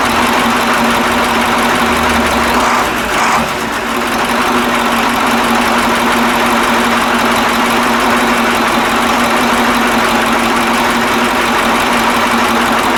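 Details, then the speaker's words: KAMAZ 65225 Euro-2 diesel truck, reassembled after an engine-knock repair, first start: steady, even idle with a smooth low drone and no knocking; owner notes only a very quiet metallic sound from an injector line. "короче ребята вроде это нету звука то я чувствую что трубка на тынде дети железный звук но это вообще тихонечко такой"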